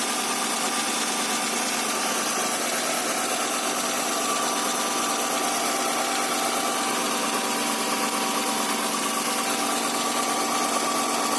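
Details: Honda Accord V6 first start after rear main seal and oil seal replacement, engine refitted: steady even idle, smooth hum, no knocks, ticks or misses; sounds healthy, some oil still leaking.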